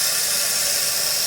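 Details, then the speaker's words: Kohler toilet with flush canister refilling after the canister gasket was replaced to fix nonstop running: a steady, even hiss of water into the tank with no sputter or whistle, then the water shuts off when full. The fill valve sounds normal. "nice and full the water shuts off now we don't hear any water running well that's a win in itself"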